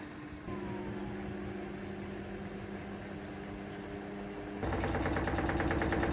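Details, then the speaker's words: Samsung WD90K5B10OX 9 kg washer dryer, after welding repair of collapsed ballast: smooth motor hum rising into faster louder spin with no cabinet banging; sounds normal, owner wonders whether something rubs low down. "then that sounds pretty good there noise off it but it's not like it was"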